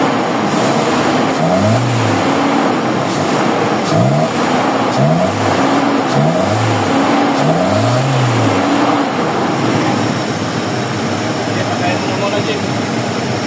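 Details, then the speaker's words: Toyota Revo 1RZ engine after fixing misfire traced to injector number 4: steady idle with several clean rev blips rising and falling smoothly, no knock, stumble or earlier rough shaking; running evenly. "Wala na. Wala ng tutunog-tunog yung ano wala na. Wala ng pokok."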